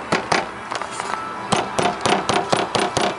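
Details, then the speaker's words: Toyota AW11 door squeaks over bumps while driving: irregular clunks with a short high chirp as the door trim panel shifts; owner suspects the panel's retaining pins, not confirmed. "all right guys if you're like me the door squeaks whenever you uh hit a bump when you're driving or whatnot you know kind of like this see if you can hear it"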